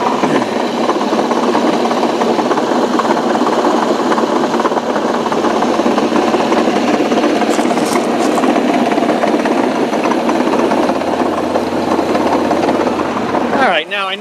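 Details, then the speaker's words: 2005 Ford Freestyle SEL wagon idling in park: a loud, fast, even clatter with steady hiss behind it. The knocking seems to come from the transmission and goes away in drive; owner unsure, perhaps torque converter. "that noise is actually coming not from the engine but from the transmission and interestingly enough when you put this car into drive that noise goes away"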